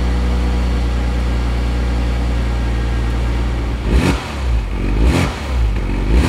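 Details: Porsche Boxster flat-six, started after clearing codes with an OBD reader: steady, even idle rumble, then smooth clean rev blips with no knocks, rattles or smoke; normal start-up and revving.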